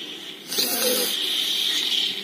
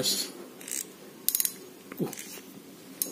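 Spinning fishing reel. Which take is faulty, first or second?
first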